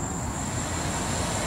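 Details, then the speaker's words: Car's electric radiator fan switched on at low speed through an OBDII app's active-test page: steady even whoosh with a faint high whine, no rubbing or ticking; smaller, slower fan running normally. "okay i think we can hear that right okay so that's the small the slower fan for the smaller fan"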